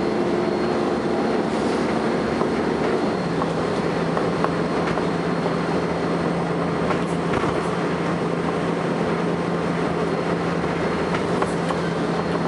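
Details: First Manchester Volvo B10BLE bus 60403 (S670SVU), recorded 30 May 2011: a constant thin high whine steadily over road and engine drone while moving; strange high-pitched whine, source not identified.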